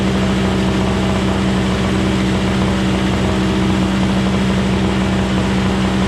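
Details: Craftsman 21" single-stage snowblower, 5hp two-stroke Tecumseh engine, after carburetor cleaning and tune-up, started on electric start: steady even two-stroke buzz at constant speed, no misses, surging or stumbling; running normally.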